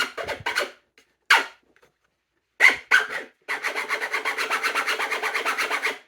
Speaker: Pretty annoying, huh? It's really loud there because this top part where the bolts were in kind of warped the plastic a little bit, so it's really tight up there, and that doesn't really happen when it's just in regular use.